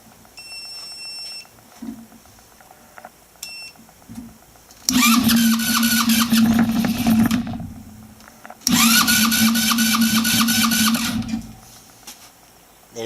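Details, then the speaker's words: 150cc Velocity scooter just reassembled after cylinder head and valve work, carburetor cleaner sprayed in: two whirring cranking bursts of about three seconds each that never catch; cranks but will not start before refueling, later runs. "is trying to start. Spray some more."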